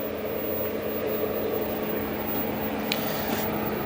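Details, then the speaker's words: 3-phase welding machine that would not strike an arc, powered on after repair; steady low hum with mild cooling-fan whoosh and no crackle or buzzing, welder running normally. "ये देखिए, हमारा welding machine on हो चुका है। ये fan चल रहा है दोस्तों।"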